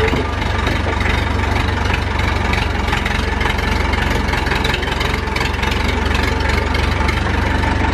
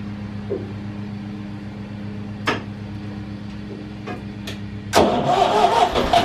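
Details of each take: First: Massey Ferguson 165 tractor diesel, long-stored and started for its yearly run, at steady low idle: even clatter with a smooth, consistent beat, no misses or knocks. Sounds healthy. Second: Massey Ferguson 35 tractor, long unused: lumpy, limping idle running on two cylinders; one cylinder honed at rebuild and never worked in; runs on three cylinders when warm and under load.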